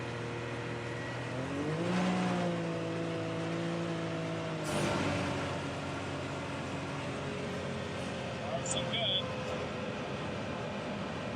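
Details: 2019 Can-Am Maverick X3 XRS Turbo R engine pulls smoothly up through the revs with a clean rising tone, no stumble or cut-out, after replacing a worn drive belt that caused limp mode and P0301–P0303 misfire codes; accelerates normally.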